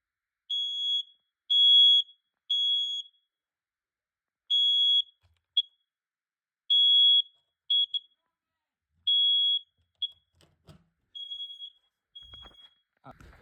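Sharp high-pitched beeps come in groups of three with pauses between groups, the detector sounding its alarm properly when tested.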